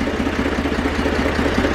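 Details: Zetor 4911 tractor, sitting since 2012 after engine renovation, coolant topped up, warming up: steady even three-cylinder diesel beat at idle, no knocks or misses; normal idle, running sweetly.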